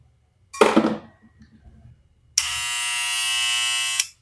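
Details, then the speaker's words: Barber clipper with magnetic motor after preventive maintenance and blade recalibration: short handling rattle, then steady, even high buzz; noisy by nature but running smoothly and healthy. "La máquina es ruidosa, de por sí estas máquinas son muy ruidosas, pero pues hacen un excelente trabajo."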